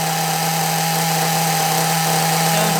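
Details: Small nitro RC engine running with the other carburettor; steady even high-pitched buzz with no hunting or misses, tick-over slightly high; normal idle, running well.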